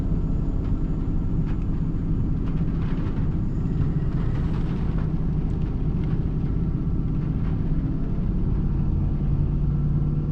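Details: Nissan Titan V8 warming at idle with multiple-misfire complaint: low rumble with an uneven, lumpy beat and occasional stumbles; scan shows running rich, MAF reading high, cause not confirmed.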